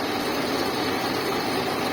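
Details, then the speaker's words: Redbo 200 A inverter welder after repair (damaged capacitor found), powered on: cooling fan running with a steady even whir, no rattle; 24 V indicator on, OC indicator off, output measured around 57 V. "Oke, kipasnya sudah menyala. Indikator 24 volt menyala, indikator OC tidak menyala. Ya, aman."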